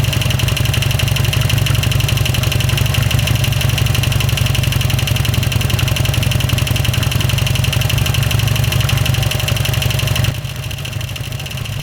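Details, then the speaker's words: 2007 Harley-Davidson Sportster V-twin at idle, first start after rocker box gasket replacement: fast steady ticking about four per second over lumpy idle; pushrods feared bent, helper believes top-end valve ticking; cause unconfirmed. "No, that's valve noise cuz it's on this side. It's the valves, not the push valve ticking."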